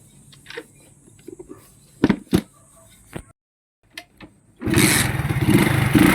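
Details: Single-cylinder motorcycle after cleaning to cure overflow and misfiring: a few clicks, then it catches quickly and settles into a steady, even idle with no stumbling; fixed and running fine.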